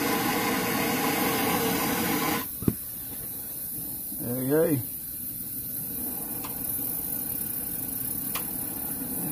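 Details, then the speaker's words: Old 413G stove, generator taken apart and cleaned, lit after preheating and cracking the valve: steady, even hissing roar with no sputter or surging, burner burning well, normal operation. "it's like she's burning well"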